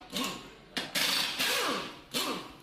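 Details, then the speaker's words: 2011–2024 Ford Fiesta MK7/MK8: repeated bursts of ratchety clicking and buzzing from behind the dashboard, traced to the heater box underneath; module replaced. "so you hear a buzzing noise I've traced it and it's the heater box underneath this here right that's it there so that's what's causing that noise"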